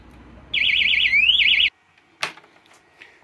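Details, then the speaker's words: 1997 Honda Pan European ST1100 ABS motorcycle's alarm gives a one-second warbling siren burst that cuts off abruptly, then a clunk; its backup battery is dead, making it misbehave and apparently reset and forget the fobs. "this one like a lot of them the battery's gone and it's making it act completely wonky I think it's completely reset and forgotten the fobs"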